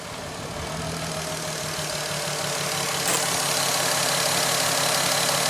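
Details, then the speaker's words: VW Golf R32 non-runner whose cylinders six and five were found wet; leaking injectors are suspected. Restarted with sensors and fuel pump reconnected, it gives a rough, strained, weak idle with a regular pulse about four per second and a hoarse exhaust. "sounds very labored doesn't it to so very very weak not too sure"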